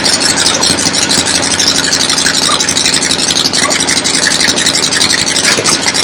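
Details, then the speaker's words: 1975 Harley XLH Ironhead Sportster V-twin, fresh rebuild, first start outdoors on a temporary lawnmower gas tank: loud steady loping idle with clattery valve noise on top; oil return established, oil pump working, normal idle. "Oil return has been established, so the oil pump is working. Good to go."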